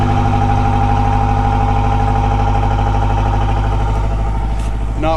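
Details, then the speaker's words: Toyota 22RE four-cylinder after intake valve cleaner treatment, started after sitting several days in warm weather: steady, fairly even low drone at cold idle, no knock or misfire; normal cold start. "not bad so it's not bad"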